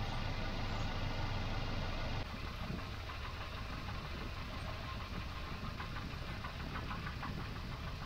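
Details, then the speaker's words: Volvo 240 B230F with LH2.2 ignition, timing several degrees off before being reset to 12° BTDC: lumpy, uneven idle with an irregular pulse and a shaky low thrum. Rough idle from retarded ignition timing. "so that's that cracked off he shakes like a dog"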